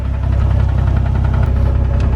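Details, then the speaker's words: Nissan 350Z (VQ engine) drift car at idle after a jump start: sharp, even knocking from the bottom end over a deep drone plus valvetrain noise, sounding like rod knock; owner says it turned out not to be rod knock, cause still unconfirmed. "you can hear it's like down there excuse the valvetrain noise right so uh that sounds like at the bottom end of the block it could be rotten ah"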